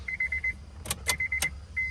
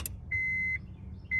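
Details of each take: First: 2002 Acura RSX base, K20A3, auto-to-manual engine harness swap, key-on: sharp, irregular relay clicks over a steady warning chime, with no fuel pump hum. No ECU power and no fuel pump; relays chattering from a missing ground. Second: 2002 Acura RSX K20A3 after an auto-to-manual harness swap, missing ECU ground fixed: at key-on, two short steady high tones over a faint low hum. The fuel pump now primes normally and the ECU has power.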